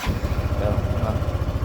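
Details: Motorcycle with a morning hard-start problem, restarted with the battery dropping only to 11.58V while cranking (earlier it fell to 9.8V): engine catches straight away into a quick, even idle pulse without hesitation; normal start.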